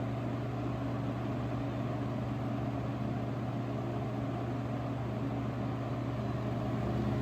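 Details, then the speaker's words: 1970s Lasco 12-inch Super tilting box fan, before restoration, stepping up through its speeds (medium mentioned): a smooth, even motor hum with a soft airy wash and no ticking or rattle, moving plenty of air; normal operation. "pretty smooth with this this one it's already moving a good amount of air"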